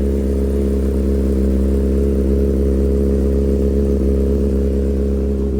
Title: 2007 CBR 600RR CS Racing Full Exhaust *header tick**Cam/timing chain rattle**